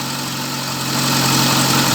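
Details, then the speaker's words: VAZ 2111 at idle with the check-engine light on constantly. Steady idle with a wavering hum and a rough, shaky undertone, running unevenly. Diagnostics point to the camshaft position sensor circuit; the sensor is to be replaced. "бачите дві Це яка тряска так і горить В нас чек постійно"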